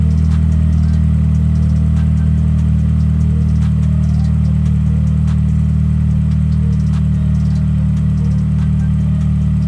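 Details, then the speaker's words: Honda EM2 Civic with K20 swap, just after cleaning the IACV to fix an idle surge, on first start: steady, even idle with no hunting or surging, slightly high at a little over 1000 rpm, temperature 68 °C. "as you can see she's idling perfect it's a little bit high in the idle but she's not doing too bad oh yeah there we go she's a little bit over a thousand"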